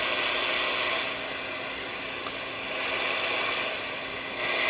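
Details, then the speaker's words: Radio repaired by replacing a faulty transformer, working on AM and sideband, signal generator off: steady, even hiss with a faint buzz from bench LED lights picked up via the chassis when touched, no squeals or crackle; healthy receiver noise floor. "those led lights i have above my bench here right there those suckers generate some noise so when i touch the chassis of the radio it goes into the radio"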